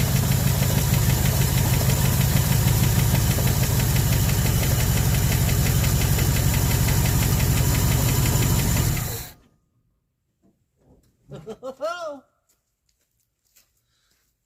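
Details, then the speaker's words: 1974 Ford F100 V8, parked 21 years with previously locked-up engine, many vacuum leaks, only two fixed: rough loping idle with an uneven beat about three per second, then shutoff; misfire. "oh yeah we got this part for a while running good on seven cylinders"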